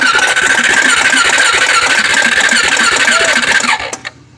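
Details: Honda 400EX ATV cranked with throttle partly held: starter whine with even chugging at about three and a half beats per second, never catching, then stops; cranks but won't start.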